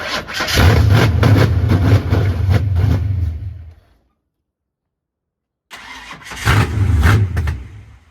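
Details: 1989 Ford Mustang GT Foxbody 5.0 V8 (cammed), first runs after starter wiring fix: catches, runs lumpy a few seconds, dies, refires unevenly; idle screw adjusted, still 5 volts at throttle position sensor, suspected faulty TPS, head ground also addressed.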